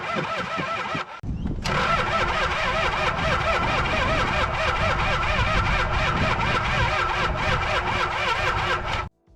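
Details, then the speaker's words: Toyota HJ47 wreck with 2H diesel of unknown history cranked for testing: steady, lazy cranking for several seconds with no firing; cranks but won't start, fuel not getting past the injection pump, possibly shut off by the fuel cutoff arm (suspected). "this point we'll certain there wasn't fuel getting past the pump for some really strange reason"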